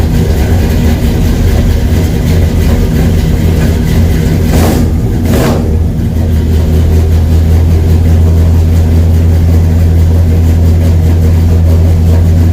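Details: 1969 Buick Skylark with a Vortec 350 V8 from a 1996 Chevy Tahoe, first start after 20+ years sitting, new full exhaust: deep steady V8 rumble with a couple of quick throttle blips, then an even, smooth idle; normal healthy idle.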